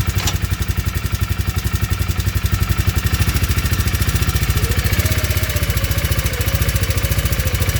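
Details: 2019 Polaris 500 single-cylinder ATV at idle with a sharp clattering knock, about three beats per second, keeping time with the firing: engine knock.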